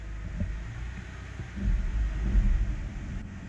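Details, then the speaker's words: 2007 BMW E60 525i, 65,000 miles, after repair of hum then loss of drive: put in D, low smooth rumble with no clunks, whine or grinding; normal running in drive. "sounds perfect"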